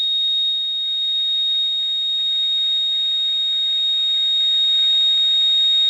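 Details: Radio receiver at 4:30 am: a steady, piercing, very high-pitched ringing over faint hiss, heard on upper and lower sideband, not a buzz or tone. Source and direction unknown. Unexplained interference tone.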